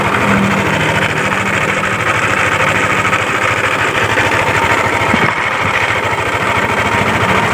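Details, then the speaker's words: Yamaha Aerox scooter with noise at the CVT case and primary pulley; hard, uneven metallic knocking about twice a second traced to worn connecting rod and crankshaft bearings, after rocker arm, camshaft bearing, cam chain and tensioner were checked and found fine. "biar teman-teman jadi tolak ukur bahwa suara seperti ini itu berpusat dari setang piston dan bearing kruk as."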